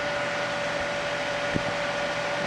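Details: Ambiano countertop ice machine, cover off, after a reset: steady airy whoosh with a faint constant hum from the running compressor, no rattles or scraping; condenser fan blowing out through the grill, running normally.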